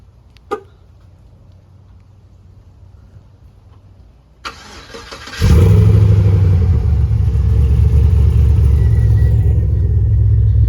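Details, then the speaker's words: Pontiac G8, not started in a while: quiet, then a short crank and a catch into a smooth, steady low idle with no knocks or misses; the engine is healthy. "Alright, so G8 is running. On another note, the G8 is perfectly fine."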